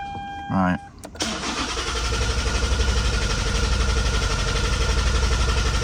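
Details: 2009 Lexus IS220D, 2AD-FHV diesel, starting after a fuel filter change that left the filter empty: a quick crank, it catches at once and settles into an even, steady idle with no misses or knocks. Normal start and idle.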